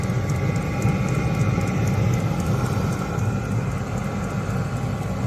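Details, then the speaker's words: 12V 5kW Chinese diesel heater after fixing E-10 ignition failure (glow plug seated, 14 V supply): steady low combustion roar with faint regular ticking from the fuel pump; normal running. "Pump's running there. You can see that ticking away in the background."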